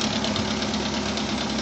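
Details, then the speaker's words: Opel Rekord 2.2i petrol engine idling: fast metallic rattle over the hum from a rattling timing chain. "[музика] о там звук как гремит цепочка гриміть падла цепочка гриміт"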